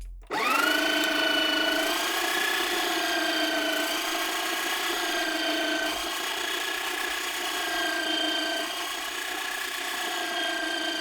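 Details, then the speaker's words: Sage/Breville espresso grinder running empty as the grind is set finer: steady high-pitched whir sags slightly and the motor starts to labour as the burrs touch at the zero point. Back off coarser at once. Grinder motor labouring at burr zero point. "hear the motor just start to labor slightly loosen the grind as soon as you hear that meaning go coarser"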